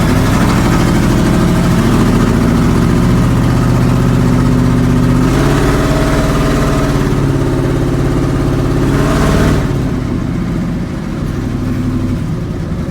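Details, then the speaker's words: 1970 GMC big-block truck on its first drive, with all-new spark plugs, plug wires, cap and rotor: a big V8 idle with uneven lope, a recurring stumble and some rev blips. The owner suspects the carburetor needs a rebuild. Engine miss at idle. "it has all new spark plugs plug wires cap and rotor and we're still having a little bit of a miss"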